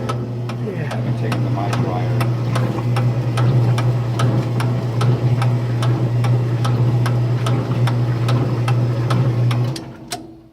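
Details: Kenmore laundry center making sharp, regular clicks about twice a second over a steady low hum, stopping when the machine shuts off. The cause is unknown.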